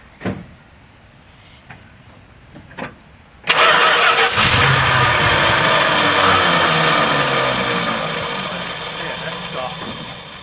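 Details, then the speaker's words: Edelbrock carburetor on a V8 that sat a long time, fuel gone bad (E10 ethanol). After a brief crank it catches and runs lumpy and uneven, dipping as it settles. The primaries are clogged with ethanol deposits. "i just took it out of it for the home and replace this thing and it runs like crap because the gas is cracked let's see how it runs"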